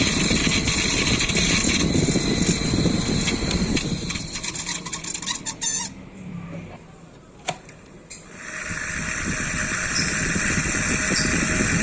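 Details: Sunon KDE2412PTB1-6A 24V 0.25A 6.0W 3100rpm 12cm high-speed cooling fan spinning up with a raspy, high-pitched squealing whine from worn ball bearings; bearings not replaced.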